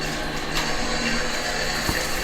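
Even, full hiss of water spraying from the head with no surging or pump pulsing; pressure is steady and normal.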